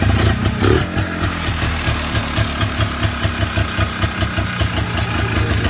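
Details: Polaris Trail Blazer 250 running after a transmission change, with no gear oil added yet: steady single-cylinder thump at fast idle, even and regular with no grinding or skipping, so the drivetrain sounds healthy.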